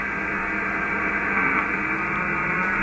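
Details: HF ham receiver tuned to 474.2 kHz medium wave: constant harsh buzzing hiss across the band masking signals, traced to an ungrounded internet provider fiber terminal power supply.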